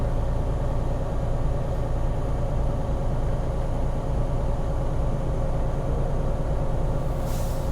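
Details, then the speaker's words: Semi-truck air brake pre-trip check: engine raised above idle to build air; near 125 psi the governor cuts out with a short sharp hiss of air over steady low idle, a normal governor cut-out purge, heard with ear out the window. "Boom, I just heard it. Okay, I don't know if you heard that if the microphone picked that up, but I heard it, so that's the most important thing."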